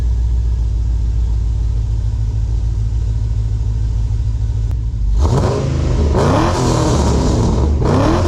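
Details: Pontiac G8 V8 with a Borla S-Type cat-back, used Pacesetter headers and a replaced bad #8 injector: a steady low idle, then sharp revs that climb and fall cleanly with a deep growl; runs smooth, no misfire.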